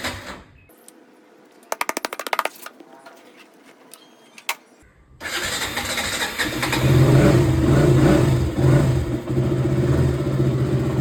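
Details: KTM Duke 200 BS4 cold morning start after 40+ days unused: after a few seconds of quiet it fires straight away and settles into steady, even idle; battery held, starts and runs normally.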